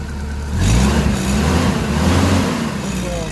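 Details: Hyster S70FT forklift with GM Vortec 2.4 engine, previously not starting and misfiring/backfiring, after replacing coil cables: catches right away and revs steadily and cleanly with no popping or backfire; normal start and run.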